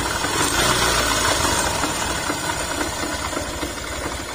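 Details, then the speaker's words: Yamaha YTX 125 single idling after all bearings and connecting rod were replaced, noise persisting; hard metallic rattle on a quick, uneven beat, pointing to a damaged clutch housing primary gear. "yung gear dito na Ano ba yun Parang primary gear ng ano para umikot yung ano clutch housing natin Y pinabibili sa kanya"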